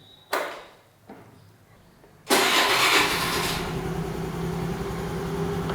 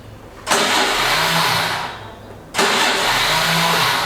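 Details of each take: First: Honda Activa 4G after bendix drive starter repair and reassembly: quick starter whirr, engine catches at once and settles into steady even idle; starts cleanly, though fix not fully trusted. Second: Honda Activa 4G scooter with a charged battery: two short bursts of high, smooth starter whirr with no compression beats, as the starter motor spins freely but the engine doesn't turn over. Faulty Bendix drive not engaging.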